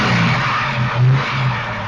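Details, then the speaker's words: Mk1 Ford Capri 3000 Essex V6 after electronic ignition conversion with new distributor, cap, coil, leads and plugs, timed, air leak blocked: blips up crisply with a steady low drone and settles back to idle, clean with no stumble; slight lumpiness possibly mixture. "And it is now running so much smoother than it was. Just back to where we were after the first attempt. Picks up nicely."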